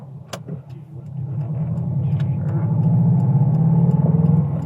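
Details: Subaru STI after its exhaust leak was fixed: a deep, even exhaust growl builds at about half throttle, with no ticking or puffing from a leak. Normal exhaust note.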